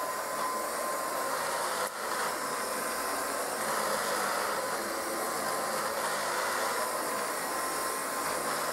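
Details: Kirby 560 vacuum after new lexan fan: steady loud whirring roar with a faint thin whine on top; motor bearings bad, brushroll also noisy and may need replacing.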